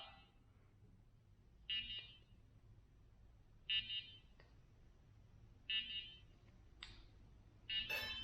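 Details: ShiFT Red drone after crash and battery reseat: short chirping beep every two seconds in a quiet room, no rotor noise; drone signalling a fault, afterward only one propeller spins.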